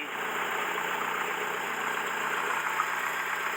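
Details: Mercedes W115 not started in three years, run dry and given fresh petrol, idling cold with a known blown exhaust and an alternator not charging (a loose alternator wire was found). Idle is uneven, wavering and labouring; rough idle, cause not yet found.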